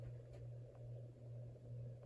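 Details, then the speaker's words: Hampton Bay Cameron II ceiling fan running with canopy not fitted: steady low motor hum with a faint buzz on top; owner wonders if a loose blade screw causes the buzz, not confirmed. "You can really hear it. Some of the hum, I guess, could be caused by the fact that the canopy's not up or anything, but it really is a lot. On top of the humming noise, there's also like a little buzzing, like a buzzing noise almost."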